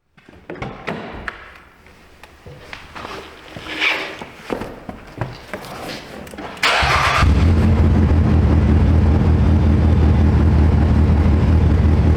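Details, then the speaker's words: 2015 Nissan Altima 2.5 at idle with check engine light on, codes P0014 and P0300, and the exhaust completely gone: clatter, then a loud, choppy, lumpy idle with uneven beats and a blown-exhaust rasp; it also stalls often. "It's got the chop. You could hear it there running. It's choppy. Money lights on. The exhaust is completely gone."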